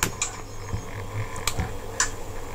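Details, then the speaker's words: Table fan motor running: low steady hum with irregular light clicks and rattles; excessive rotor end play, to be adjusted by loosening and tightening the nut and tapping. "यहाँ पे कुछ noses आ रही है, तो यहाँ पे भी easily थोड़ा बहुत यहाँ पे मेरा पंखा जो है मोटर जो है आवाज़ कर रहा,"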